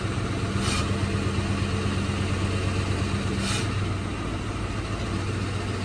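Engine idles with a couple of brief revs, a loose rattly buzz riding over the low hum; some rattle, source not pinned down.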